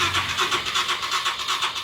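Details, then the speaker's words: Royal Enfield Himalayan, battery and kill switch on, key on: starter spins the engine in an even pulsing rhythm but it never catches; fuel pump not delivering fuel, motor suspected stuck, to be removed and tapped before replacing. "എല്ലാം okay ആണ് പക്ഷേ start ആകുന്നില്ല"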